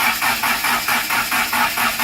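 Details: Mitsubishi Conquest turbo build, first start attempt: rhythmic starter cranking at about four pulses a second with no combustion; no fuel because the fuel pump relay was left unplugged.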